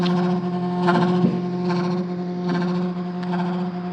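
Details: 2014 Ford Fusion: a steady low moaning hum from the fuel tank area swells and fades every second or so; the car usually stalls after this noise, cause unknown.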